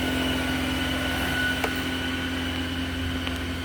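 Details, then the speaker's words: 2016 Volvo XC60 T5 in neutral after being lowered from the lift: revs suddenly shot up to about 2,500 rpm, steady raised hum with faint whine and a check engine light; idle calmed after shifting into gear. Cause unknown. "As I was letting it down, all of a sudden the RPMs just shot up. I don't know what they're at, like 3,000 maybe?"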